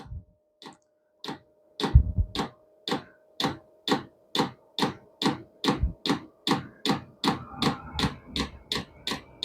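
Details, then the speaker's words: Vevor diesel heater after one year of shop use, powered by a Milwaukee M18 battery, at startup: the dosing pump ticks steadily (about 140/min, slightly uneven) as it primes fuel to the burner before ignition; normal, noisiest phase. "As it gets running quicker, the pump will move quicker or it'll pump quicker. You'll hear it."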